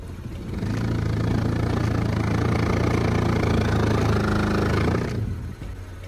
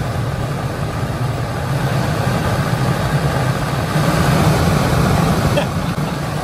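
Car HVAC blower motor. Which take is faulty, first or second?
first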